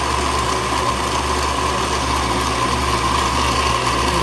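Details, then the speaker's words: Baratza Vario grinder after service for high-pitched whining, chopping and inconsistent grind; shims replaced. Test grind at a fine setting: steady even motor hum with a clean high tone, no screech or chopping. "And so we replace the shims. And so with all that back together, everything's working fine, and so let's test it."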